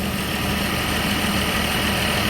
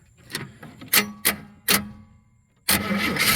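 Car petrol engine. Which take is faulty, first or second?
second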